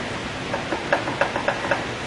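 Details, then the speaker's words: Eaton RS404 differential during backlash adjustment: slow hand rotation of the ring gear gives sharp clunks about four times a second as it slaps the drive pinion, showing backlash still needs taking out with the adjuster. "as you rotate the ring gear you'll hear a clunking sound that is made between the ring gear and the drive pinion it's that clunking sound that tells you that you still have backlash that needs to be taken out"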